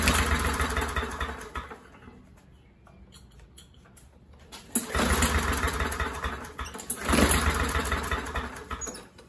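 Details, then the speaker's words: MTD 21-inch push mower with a 140cc engine, after carburetor reinstall, running with carb spray. It fades almost out and then picks up in uneven surges; the throttle linkage was not under the base plate and not moving freely, and the fix is to reseat it. "and there's the throttle linkage fail folks so basically I have to take the carburetor off again and make sure that throttle linkage is under that base plate and it moves freely so that was my issue before"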